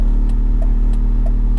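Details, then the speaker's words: BMW E46 with stiff Revshift polyurethane engine and transmission mounts, idling about 700 rpm: heavy low droning hum with faint ticks, vibration more intense with AC on; owner guesses harmonic issue from stiff mounts. "also the AC Amish does increase vibrations to have market mounts for some reason the AC I turn the AC up in vibration a little bit more intense right there"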